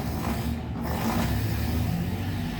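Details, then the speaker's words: Carburettor car after slow jet cleaning to fix an RPM-dropping problem, cold-started with no throttle and idling inside the car: low, steady idle rumble with no dips or stumbles; RPM stable and the fault is gone. Slight cold-start vibration is said to settle once warm. "ये इसका generator भी on हो गया है और आप देख सकते हैं RPM भी स्टेबल है, और गाड़ी जो मसला आपको उसके अंदर नज़र आ रहा था वो ख़त्म हो चुका है, और गाड़ी जो है ना वो बिल्कुल स्टार्ट खड़ी है, आइडल कंडीशन में।"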